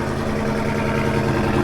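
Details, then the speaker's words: Cold start on E85 of the Driftcat after a SEMA fire, warming up at lumpy idle with a light quick ticking that gets worse; owner notes a serious tick from the motor, with cam, lifters, pushrods and valve springs planned; backfiring follows. "Let her warm up for a second. She's a ticking. She's a ticking. It gets worse, so"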